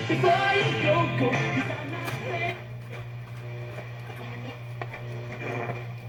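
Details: 1965 General Electric tube FM radio after repair (capacitors checked), the earlier very loud noise gone: music comes through full and steady with clean low end and no hum, crackle or dropouts; it plays properly.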